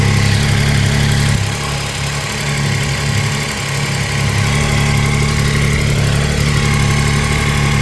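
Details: Triumph Tiger 800 XRT three-cylinder at idle: light quick ticking over steady idle, unchanged after replacing wrongly fitted header crush gaskets; spark plugs fine; engine ticking at idle, cause unknown.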